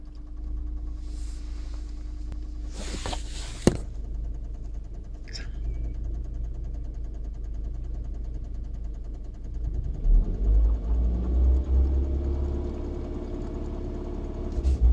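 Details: 2001 Land Rover Freelander 1.8 petrol idling with a light uneven clicking or tapping over a deep steady rumble, then a brief rev; present since 2009, disappears at 2000 rpm; owner wonders tappet, oil pump or injector.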